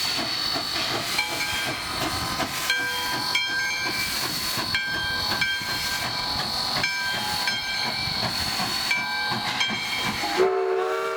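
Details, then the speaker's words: Nevada Northern Railway steam locomotive: exhaust steam from the blast pipe in the smokebox shoots up the smokestack, one chuff for each push and release of the cylinders; evenly spaced chuffs about one a second over steady hissing with a whistle tone, a clean, healthy exhaust. "this then shoots steam up through the the smoke stack and gives us that lovely chef sound that most of us associate with steam engines and so just to give you a sense of how that chuck happens it's actually related to each push uh in each release of c model cylinders"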